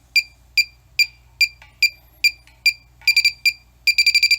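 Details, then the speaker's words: Cheap halogen refrigerant leak detector (R22/R410A/R134a), no refrigerant released yet. Steady beeps about twice a second jump to rapid bursts when the tip touches steel: a false alarm, not a leak. "If you touch steel though, you're gonna have it's gonna set off a warning."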